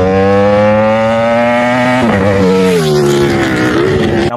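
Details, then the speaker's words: Motorcycle V4 engine with uneven firing sequence: deep, lumpy, bassy howl held at high revs, then dropping through the gears smoothly; healthy engine pulling cleanly; normal exhaust note. "Nampakkan dia punya bunyi tu macam roti daripada bass, macam bonggol."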